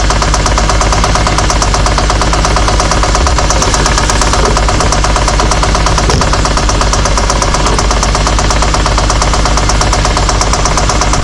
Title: Adam Rosales g35 knocking noise